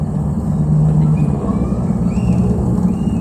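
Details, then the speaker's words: Daihatsu Hijet 1000 (Bagong), 1000 cc three-cylinder, well maintained: low, even rumble at idle with steady pitch and no knocks or rattles. Engine idling smoothly. "Oke, untuk suara mesin pun halus tuh, nggak ada suara-suara kasar, anteng semua ya ini mobil"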